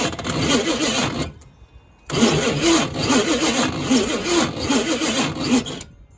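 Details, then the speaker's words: Neglected Chevy K5/K10 engine cranked: only a few weak, uneven catches about two a second, never running; water found in the fuel is suspected as the cause. "Wow, that is super piss poor."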